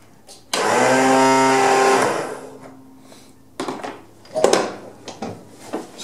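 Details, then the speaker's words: Craftsman zero-turn mower whose starter whirs up freely to a high whine and winds down without turning the engine over; a poor key connection was noted, but the cause is not confirmed. Starter spins without cranking. "i'm gonna try to get it to turn over but if you listen real close you're just gonna hear it spin hear that"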